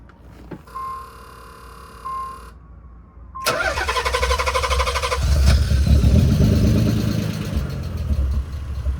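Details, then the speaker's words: Nissan 300ZX (Z32) starting the day after fuel filter relocation, idle control valve removed: brief crank, catches around 3.5 seconds, rough at first, then steady even idle about 800–900 rpm once warmed; no knocks or misses. "now that we don't have the ID control valve the startup's a little rough but once it's once it's warmed up a little bit not even that long maybe like a minute or less uh the idol stays at about 900 800 I think"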